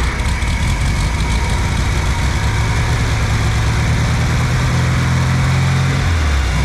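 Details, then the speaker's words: 1964 VW Beetle air-cooled engine stored 8–10 years, after cleaning the carburetor: low steady engine note with no misses or knocks; runs really well, normal running. "This was really surprising. The engine runs really well, once we decided to clean the carb out."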